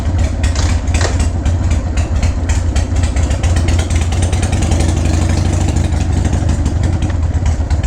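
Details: 2001 Harley-Davidson 1200cc V-twin, first start after sitting in a garage and still needing new gaskets: deep, even loping idle with steady low firing pulses and no knocks or rattles. Normal idle.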